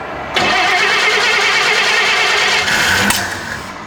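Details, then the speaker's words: 1954 Chevy Bel Air with carb work, a new fuel system and new ignition parts, fuel splashed into the carb; cranks and barely catches, rough sputtering that dies out; hard start from ignition timing set too retarded. "might need a little more timing but uh try it again"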